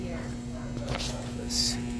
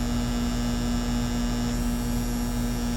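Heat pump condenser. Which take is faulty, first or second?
first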